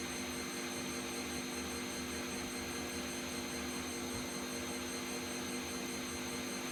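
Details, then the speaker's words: Bosch Vario Perfect WAK28260GB/11 washer, empty, on a 1400 spin cycle: steady high roar with whining tones and no clunks; reported noisy with possible drum play, bearings suspected but unproven, possibly not reaching full 1400 speed. "I've been testing this Bosch Vario Perfect WAK28260GB/11 washing machine to see if there's a problem with the bearings. I think there is. I've been told it's noisy and I thought there was play."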